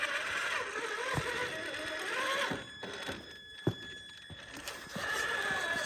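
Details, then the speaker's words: 1/10 Traxxas Summit RC crawler on 2S packs crawling rocks: faint, high, thin squeak comes and goes; owner suspects transmission bearings starting to seize despite WD-40, cause unconfirmed. "as you can tell it sounds like probably at least in the transmission we have some bearings that are probably starting to get a little bit seized up hopefully they'll work themselves loose in this video but uh you might hear a little bit of squeaking to begin with"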